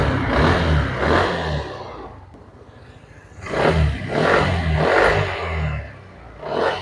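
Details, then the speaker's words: Yamaha Aerox 155 scooter that died suddenly with error code 12, after fixing and securing the wiring connection: engine catches and runs clean, revving and settling smoothly on repeated starts, no misfire or stalling; normal start and run. "Motor sudah kembali normal, sudah nyala normal seperti biasanya."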